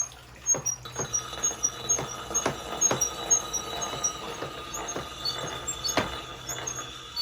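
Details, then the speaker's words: Axe head sharpened on a foot-treadle grinding stone: a scraping steel-on-stone hiss broken by uneven little knocks, about two a second, caused by chips in the stone's surface, which will wear flat over time. "And you can hear the little bumps in the noise of the axe head going across the stone. Like I said before, that is little chips or whatnot in the stone itself that cause that. But over time, they will wear flat, which will probably be past my lifetime."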